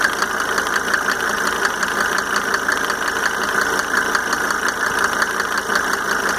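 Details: Mercedes 300D W124 2.5 L diesel idling after installing five newly rebuilt injectors with Monark nozzles: light fairly regular tick, roughly once a second, over the clatter; source undetermined.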